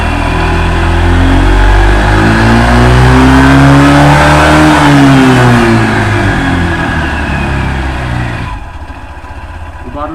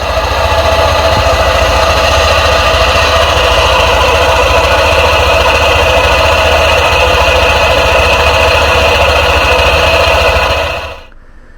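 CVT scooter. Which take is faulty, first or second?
second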